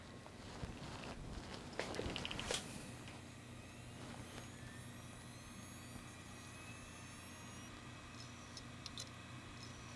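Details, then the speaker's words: 3TB Seagate Barracuda ST3000DM001 hard drive spins up with a rising whine, clicks about 12 times, then spins down: failed head assembly (click of death); a head swap from a donor drive is planned. "so some of you might be familiar with these sounds these sounds that are coming from the drive when it clicks around 12 times and then spins the motor down are related to head assembly problems"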